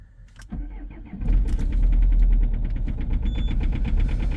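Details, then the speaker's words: 2.0 HDi diesel cold start at -11°C after two 20-second glow plug preheats: cranks and catches after a second, then runs rough with a steady light knock each beat and rising vibration; cause unknown. "И пробуем и ещё раз заглушить, бо я прямо чувствую, как начинается вибрация."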